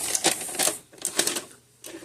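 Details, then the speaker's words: Magnavox DVD/VCR combo after VCR repair. Crisp clicks and short whirring bursts as the cassette ejects and the reels wind the tape in. The mechanism cycles cleanly. "Eject. Reels the tape."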